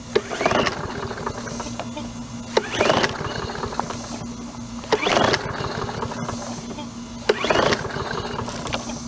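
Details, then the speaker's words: Neglected Troy-Bilt push mower, oil overfilled, missing air cleaner cover, poor air filter, rpm seemingly turned down: repeated pull-cord cranks, each firing briefly then dying; needs carburetor cleaning. "they'll do it for a brief second they'll fire and then I'll shut off which means a carburetor clean"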